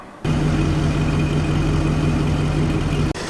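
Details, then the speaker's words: 1950 flathead Ford V8 Pilot, converted back from electronic ignition to a points distributor and original carb, oil bath air cleaner refitted: warming up with a smooth, even low hum, steady pulse and no misses or knocks, a normal idle. "she warming up nicely now refitted the uh the oil bath air cleaner as well just to uh see if that makes any difference"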